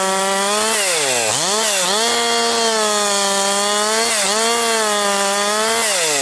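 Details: Husqvarna 262XP chainsaw after rebuild, breaking in bucking dry, dusty pine firewood; compression up, decent pull after last couple tanks. Strong, crisp high-pitched buzz sags briefly into each cut and snaps back to speed; normal running under load.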